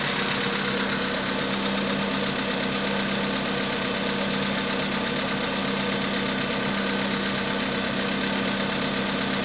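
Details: VW Polo Sedan 1,000 km after piston replacement: steady petrol idle with light, uneven tapping around two per second; engine knock, cause unclear.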